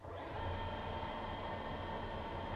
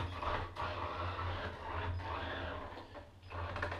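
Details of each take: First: Waterproofed Axial SCX10 2012 Jeep Wrangler Rubicon RC truck with its sensored brushless motor fully submerged in a bath: steady, even electric whir, no stutter. It runs normally but struggles for grip and is nearly floating; water was earlier found entering the motor. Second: Waterproofed Axial SCX10 2012 Jeep Wrangler Rubicon crawler with sensored brushless motor fully submerged: faint motor hum surging and dropping unevenly going forward, while reverse had jittered then smoothed; ESC error lights show sensor error, so the motor stutters from a sensor fault.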